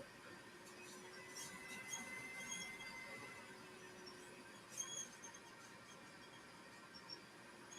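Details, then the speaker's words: Laser engraver running a job: thin high squeak recurring over quiet motion hum as the head travels; rails already greased, rail or track suspected, source unknown. "I don't know if you guys can hear that squeak or not, but I have a little squeak going on. I already uh greased the rails, so I'm gonna have to look into that a little further."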